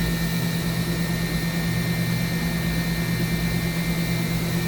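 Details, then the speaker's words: 2013 Mazak HCN 4000 III horizontal machining center, spindle at 10,000 rpm with 1% load (max 14,000): a clean, steady high-speed whine with a constant hum underneath, no grinding. Normal spindle running. "Sounds good. 10,000 RPM with a 1% load. It's great."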